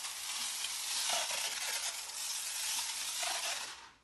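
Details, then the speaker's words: IK Foam Pro 12 pump sprayer laying pre-rinse foam in a garage wash bay with a very wide spray. Steady hissing spray with a couple of brief dips and skips; it sputters because it is running short of air pressure. "that's pretty good pretty good foam for a pre-rinse right it does have a few skips you can hear it sputtering"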